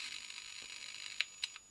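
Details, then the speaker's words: Victron Atlas Combi 12V/800W battery charger/inverter transformer under high-voltage insulation test (6 kV, 1 µA range), primary side: sharp, irregular snapping clicks over a faint high hiss, flashovers to ground from defective transformer insulation; unit judged toast. "the clicking noises we can hear is actually flashovers to ground so i think we have a defective insulation inside this transformer"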